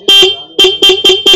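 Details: TVS Jupiter scooter horn refitted after repair of a horn that would not sound: five short, crisp honks with a clear, strong tone, no rasp or dropout; horn working normally.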